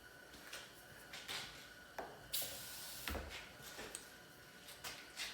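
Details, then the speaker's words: 2023 Subaru Outback (6th gen) slow power window after spraying lubricant into the run channel: a faint motor drone with uneven knocks and squeaks as the glass grabs, mainly at the rear, getting faster with repeated cycling. "You can kind of see and hear it chattering there a little bit, so run it back and forth a couple of times here and see if it gets any better."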